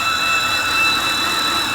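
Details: 2013 BMW 328i E93 N52 at idle, low, rough, fluctuating idle, no warning lights: steady high-pitched belt-like screech, seemingly from rear of engine, stops when oil filler cap removed; torn CCV diaphragm in valve cover, fixed by replacing valve cover.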